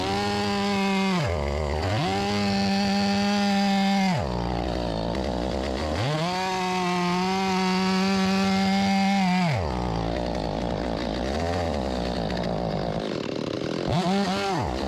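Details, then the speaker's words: Stihl 025 chainsaw (about a 16-inch bar) that won't restart once hot, started on choke and low on gas: revs surge and sag unevenly, stumbling and dying between bursts. A stiffened carburetor diaphragm was flooding the engine. Carburetor flooding. "Yeah, it's definitely got some fueling issues."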